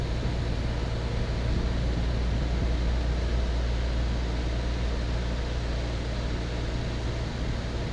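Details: 1970s Westinghouse 6,000 BTU air conditioner, newly installed, 70°F humid day: low, steady hum with even fan whoosh, no rattles or cycling knocks; runs smooth and surprisingly quiet.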